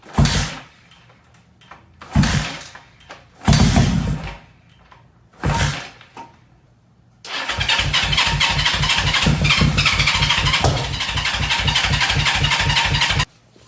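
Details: 1970 Honda CL350 that sat 42 years, plugs gapped, compression seems fine, carbs not yet cleaned or fitted: short starter bursts then a steady six-second crank at about four even pulses a second, never fires; cranking, no start.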